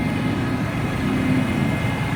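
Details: 2013 Ford F-350 diesel at warm idle, whine occurs only when warm: deep rumble with a faint steady tone on top; engine whine, cause unclear after several Ford dealers.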